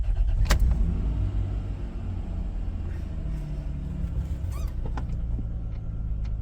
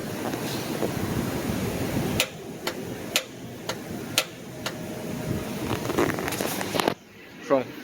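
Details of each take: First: 1998 Isuzu Rodeo after replacing a starter motor that would not crank: short crank catches quickly into a low, even engine rumble with no grinding or clicking; new starter works properly. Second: 1998 Isuzu Rodeo: sharp single solenoid clicks about twice a second with no cranking whir. The bendix gear extends toward the flywheel but the starter motor will not spin; failed starter.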